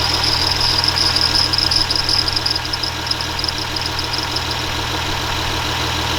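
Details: 2006 Ram Cummins diesel, newly completed truck: high chirping from the belt at first dies away after deodorant stick applied, leaving a steady, even diesel idle with no belt squeal.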